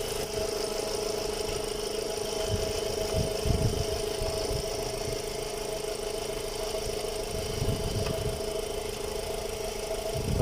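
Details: VW Gol 1.6 with power loss, EPC and check lights on, cylinder 3 misfire code: uneven, stumbling idle with irregular low thumps as one cylinder drops out; spark plug wire has spark, diagnosed as failed ignition coil.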